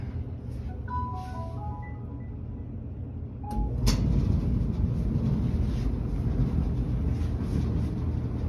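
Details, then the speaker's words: Whirlpool dryer about two to three years old, after lubricating a drum bearing that caused a loud squeal, no parts replaced: steady low tumbling rumble with no squeal or chirp; normal quiet running. "but as you can see we're all quiet now and we i fixed that for free i didn't have to buy anything for this"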